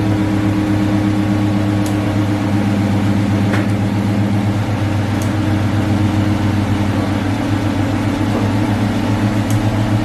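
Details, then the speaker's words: C4 Corvette after alternator replacement, on a jump from brother's car: slow, laboring crank with a sluggish churn about three or four beats a second that won't catch; owner suspects a very dead battery, not the starter. "So I've been trying it a couple times. I don't think it need no starter battery. I think the battery actually just super dead."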